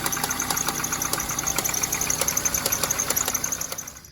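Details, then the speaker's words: Dodge Neon idling: sharp, loud ticks and snaps a couple of times a second from an alternator belt left too loose, which jumped over and is shredding. "I didn't do that, so it, jumped over and started shredding it."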